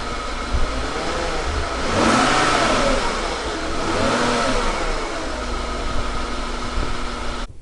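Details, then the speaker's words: 2013 Hyundai Genesis 5.0 revved at idle: loud rough metallic rattle rising with each blip then settling, plus a struggling sound; owner suspects timing chain rattle, though a dealer inspection called it normal and it drives fine. "but when you're idling and you rev the engine it has like a very loud rattling sound paired with a sound that makes it seem like it's struggling"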